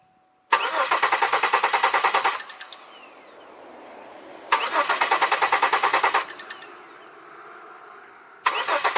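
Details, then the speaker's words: 2002 Chevy Malibu crank, no start: three bursts of even cranking at about three turns a second, never firing. Spark and nearly 60 psi fuel pressure confirmed; owner suspects nothing is signalling the fuel injectors to fire, unconfirmed. "So something's not giving it a signal. Something's not giving it a signal for the fuel injectors to fire."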